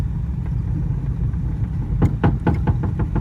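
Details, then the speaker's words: Old car "Pearl" tried around the block: low labored idle, then irregular clunks as engine is dragged down in gear and nearly stalls; suspected bad torque converter and transmission, engine itself considered pretty good. "Okay, so maybe Pearl's not real roadworthy. She needs a converter, transmission, pretty much all of it."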